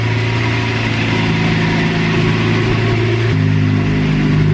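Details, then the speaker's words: Manual Lamborghini Murcielago V12 just after its first start following a 3-month engine-out rebuild. Smooth, even idle at about 985 rpm with a steady low hum and no knocks or misses, confirmed normal. Normal idle. "What's it idling at? About 985 RPM. Is that normal for it? Yep. Yeah. It sounds normal to you? Perfect."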